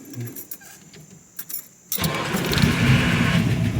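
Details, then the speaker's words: Mustang starting after key and buzzer: engine catches while starter gear whine keeps spinning briefly instead of disengaging; owner suspects the starter needs adjusting. "So watch when I start it, you'll hear the starter doesn't disengage immediately. So it probably needs to be adjusted."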